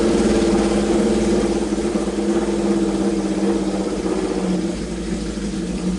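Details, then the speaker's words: Honda CB750 that had sat at least two years, revived with filed points, a new coil, cleaned carbs and overfilled oil being drained: four-cylinder idle is smooth and even with a slight rev swell, no misfire or knock. Normal idle. "but dang dude the thing runs pretty darn great"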